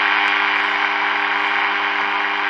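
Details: Early-1950s HMV Little Nipper Mark II valve radio with 6X5 rectifier, powered up slowly: set is alive but gives only steady low hum under hiss and static, no stations, because the local oscillator isn't oscillating.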